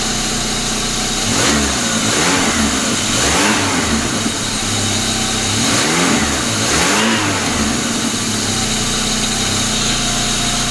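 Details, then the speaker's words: 1999 Pontiac Grand Am, rebuilt GM LD9 2.4 Quad 4, first start-up after rebuild: steady engine with a couple of revs, harsh gritty grinding on top from the worn AC compressor clutch on the serpentine belt; compressor also leaking at shaft seal, to be replaced. "this other ac compressor clutch making some noise so so let's make sure it's something on that serpentine belt before we go any further"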